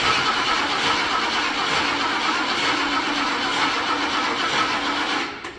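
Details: Revived junkyard 1977 Ford Thunderbird, carbureted, with a bad accelerator pump so the throttle is held, on a weak battery needing a boost; laboured, sluggish churning crank with no firing before it stops, slow cranking whose cause is suspected but not confirmed.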